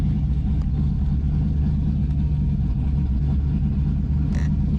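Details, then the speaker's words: Project Z28 V8 cold start with the idle air control motor reconnected after idle problems, no throttle, holding steady right at 1,000 rpm; smooth, even low rumble, still smelling a bit rich; normal cold idle. "Which, for a cold engine, that's good, man. I'm happy with that."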